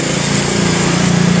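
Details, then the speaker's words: Suzuki Forsa (Carry 1000-type) points-ignition engine after distributor installation, timing set by smoothest idle: small four-cylinder idles evenly with steady firing beat, no misses or knock; timing sits right and it runs smoothly. "Untuk penyetelan yang ini kita bisa berpatokan ke stasioner ya. Kita perhatikan untuk stasionernya itu kita cari yang paling halus atau berpatokan ke centokan gas."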